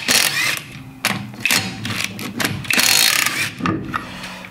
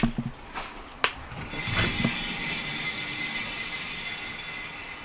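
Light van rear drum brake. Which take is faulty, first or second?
second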